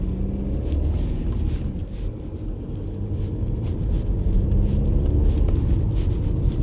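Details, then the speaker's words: Deep, steady diesel drone rising as it pulls under load through road rumble on an Audi A4 saved from scrap after failing its MOT. The engine light is on, but the clutch is good and the turbo boosts. Pulls cleanly. "Engine seems really nice. Let's make sure the turbo works. It pulls. It boosts."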